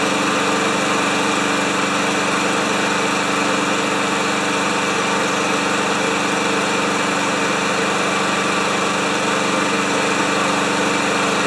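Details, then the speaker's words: Lawn Boy mower with 160 cc engine and automatic choke, running after a shot of carb cleaner into the carburetor, refueled: holds a steady, even buzz at constant speed with no hunting or misses; smooth, healthy normal running. "oh it's nice when they come in and they don't need a bunch of work eh"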